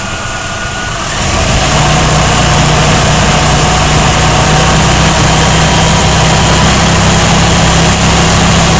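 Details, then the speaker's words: 1992 GMC 1500 4.3 L at idle, injectors confirmed spraying evenly with a timing light: steady idle with a slightly uneven, stumbling beat around three pulses a second; miss worse when cold and under load, cause not yet found, spark plugs next. "yeah you I don't know if you can hear that but you you can sense there's just like a miss going on"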